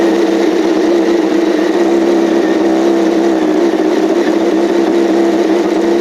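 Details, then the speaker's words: 2007 Yamaha R1 inline-four after an engine rebuild, running at steady speed: an even mid-pitched note with no ticking, rattle or crazy noise; the engine sounds healthy. "There we go. That sounded great. Let's go. Yes. Okay. Well, no ticking, no crazy noise."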